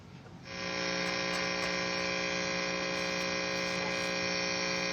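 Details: Left-handed Fender Stratocaster plugged into amp and turned up: loud, steady mains buzz with no guitar signal, input jack not working; cause is the output jack's ground wire broken loose.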